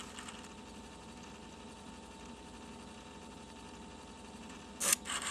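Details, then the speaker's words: Sharp MD-MT99 MiniDisc recorder after repairing the seizing motor that lowers the record head (cause of Er-MD41): a short, slightly sandy, gritty whirr as the motor moves. It now records without the MD41 error. "on entend ça fait un peu un bruit de de sable mais le moteur se déplace et il a réussi à écrire sa toque sans me marquer là l'erreur md tiré 41"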